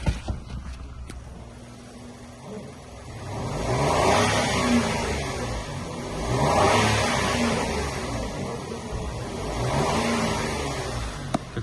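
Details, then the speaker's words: Used car inspected for import from South Korea: three smooth rev swells returning to an even idle, belt not noisy, no knocks, ticks or rattles; engine healthy. "без странных звуков собственно и против каких-либо дефектов проверка работы нашей коробки"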